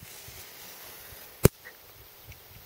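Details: Fencer showing low voltage; high-tensile hot wire rubbing beneath a ground wire, burnt through and smoking insulation, shorting. One sharp snap over quiet outdoor air as the hot wire, pulled back by hand, arcs to ground; fix planned: new side clamp rerouting wire.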